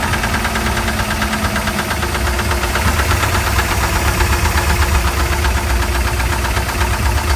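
Heavy, regular knock at about four per second through the idle, deep and steady over the engine; worn crank bearings knocking.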